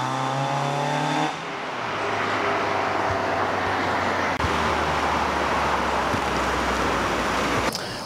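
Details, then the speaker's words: Mazda MX-5 Miata NA 1.6 with a homemade welded custom exhaust: revving with a harsh, raspy exhaust note despite a thick muffler and deadening, then loud road and tyre noise; a broken bolt at the exhaust joint behind the catalytic converter. "that's the exhaust which not particularly that happy with it it is really raspy and everything even with the thick Muffler and all the deadening"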